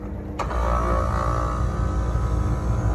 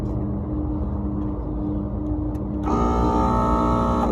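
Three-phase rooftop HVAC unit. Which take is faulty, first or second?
second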